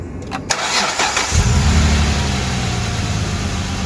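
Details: 2008 Dodge Charger 2.7L V6 with code P0302 (cylinder 2 misfire), coils swapped for diagnosis: cranks and catches into an uneven, stumbling lumpy idle as one cylinder drops out from a faulty ignition coil.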